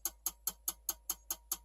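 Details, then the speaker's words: Dell Optiplex 3020 jerry-rigged with a 450W HP PSU for a Radeon HD 7790: sharp even clicks about five a second continue after power is shut off, with an orange light, then stop. Owner suspects the power supply needs replacing. "still going from the power is shut off that is really our I have never seen that before all right looks like it just shut off"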